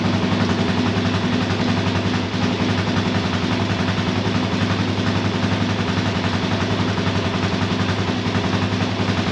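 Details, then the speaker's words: Kawasaki KFX400 after starter clutch replacement, first run after reassembly: the single cylinder thumps at a steady, even beat with a deep pulse and no clatter or misfire; sounds perfect, engine healthy. "I just want to crank it over to see if uh see if everything sounds good and that sounds absolutely perfect"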